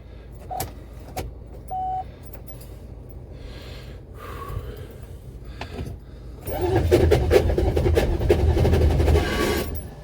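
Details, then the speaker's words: Buick Electra 5.7-litre diesel, cold start after a year sitting, unrepaired blown head gasket, truck jumped to mismatched batteries for more voltage: strong, even cranking near four beats a second, but no firing kicks; cranks well but won't start. "oh that sounded awesome definitely have the voltage we need now to crank it over uh did not hear the kicks i wanted to hear"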